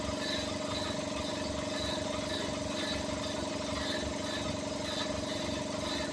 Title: compressor making a weird noise 😕🤔😒